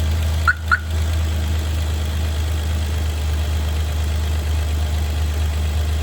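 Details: 2011 Hyundai Veracruz on a cold start: steady low idle hum with two short sharp chirps early on, then an even run. Source of the noise is unclear.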